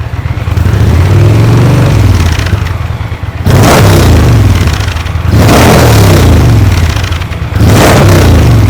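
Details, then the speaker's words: 2023 Indian Pursuit Elite V-twin on stock exhaust before Tab Performance exhaust fitted; deep throbbing idle blipped about three times in nine seconds, rising and falling smoothly; healthy, no knocks. "I'm gonna let it idle for a while so you can hear how the sewing machine sounds at idle with a little throttle"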